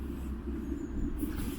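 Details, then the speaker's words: Land Rover Discovery 4 Webasto Thermo Top V fuel-burning auxiliary park heater in timed heat mode, pre-start phase: low steady hum with faint fan whirr and no ignition roar yet; normal pre-start run before it lights. "there's still some humming going on so i think that glow pug's got to heat up and it's got to inject a bit of fuel in and i think it's waiting now"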